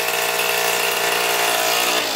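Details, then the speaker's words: Two-stroke Yamaha Zuma bugeye scooter with Polini 70cc kit and new Yasuni R pipe, revived from non-running, holds a fast, buzzy high idle that never settles: the too-short throttle cable is holding the slide open. "high idle because the throttle cable's too short"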